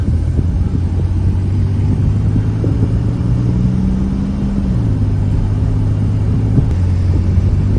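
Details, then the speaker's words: Salvage Cadillac Cimarron on its first drive, oil pressure 20: a deep engine drone rising smoothly under acceleration with no stumbling. Earlier bucking was blamed on very low fuel, and it now pulls with full power. "get on her a little bit i mean it's got all its power i guess i didn't think it was misfiring i think it just was really low on gas kind of bucking a little bit not anymore"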